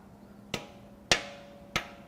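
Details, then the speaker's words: 2019 Ford Ranger 2.3L EcoBoost, failed at 104K miles with poor maintenance, torn down; rods tested give three sharp metallic clunks, one louder; likely number two rod bearing with excess play. "I mean really we're testing the rods here uhoh that one was loud why was that one Loud"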